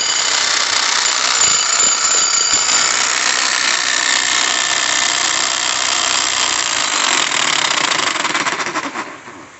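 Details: Customer's heavily used breaker hammer (demolition hammer) before disassembly: harsh uneven rattling hammer blows over a loud hissy grind, about three beats a second; abnormal noise from something badly worn inside, cause not yet found.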